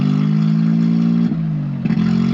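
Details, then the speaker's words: 1993 Geo Metro after a fuel pump replacement: a deep uneven idle that stumbles about once a second, though it revs fine and has a stock cam. The problem persists after the pump swap. "Sounds great when it's revving. It does not have a fat ass cam, I promise. It is not supposed to do this."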